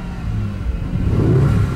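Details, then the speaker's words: Cheap Lamborghini at startup, dim cluster showing odd codes, car shaking with RPM wandering: uneven, lumpy engine note; rough running, feels down on power, as if running on half its cylinders, likely misfiring. "definitely feels like it's down on power it feels like it's only running on half though"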